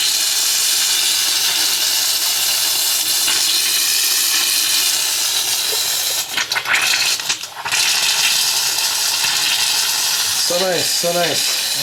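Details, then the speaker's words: Water heater refilled after a breaker replacement: hissing, sputtering rush of air with bursts of spitting water from the upstairs faucet after the water is turned back on; normal air purge, no leaks. "should be mainly air coming out upstairs should be mainly air coming out can hear it so that's a good [Music] sign"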